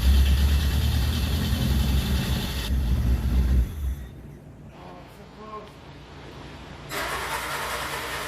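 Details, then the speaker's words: Le Car, an old French car, churns and nearly fires for a few seconds, sputtering, then drops away without starting ("so close"). Owner suspects fouled plugs, a wrong fuel mixture and flooding. "oh it's so [Applause] close I think this Pole's going to snap"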